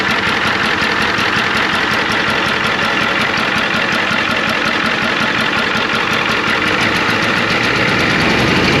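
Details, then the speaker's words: 1993 Ford F250 IDI diesel, clattery idle while checking injectors by cracking lines: slightly uneven beat with occasional soft stumble; mild misfire, suspected on one side of the engine, injector not yet identified. "well has a slight Miss want to drive it around a little bit"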